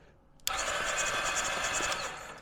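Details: Ducati 748 that would not run, cranked with the spark plug earthed to the cylinder head to check spark: sudden brisk, even starter whirr with quick regular pulses for about a second and a half; cranks healthily and gives a big spark.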